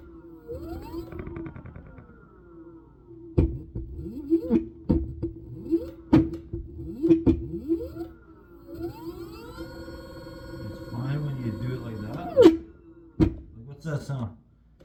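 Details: Synergy electric scooter under pulsed throttle: motor whines up and down, broken by sharp irregular clunks and rough grinding bursts once it gets up to speed; owner suspects something out of alignment, unconfirmed.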